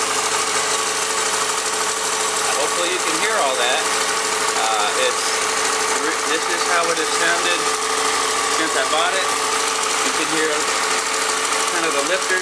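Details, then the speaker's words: 2004 Yamaha FZ6, all stock, about 19,143 miles: even four-cylinder idle with low hum and faint light piston/valve tap, always sounded this way; normal idle. "a little bit or the pistons tap just a little but that's normal this is how it's always sounded it just has that nice low hum"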